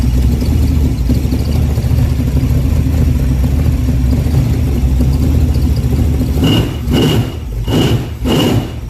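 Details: Replacement Time Bomb Racing 283 small-block V8, built after the last engine came apart on Ice Bowl practice day, at first run: deep, steady rumble at an even idle, then a few short throttle blips; runs cleanly, normal running.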